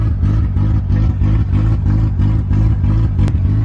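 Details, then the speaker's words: Honda EG8 Civic, first cold start after oil priming: heavy, lumpy idle pulsing about three times a second and never settling. A vacuum leak is suspected. "She doesn't like the idle. I think we have a vacuum leak."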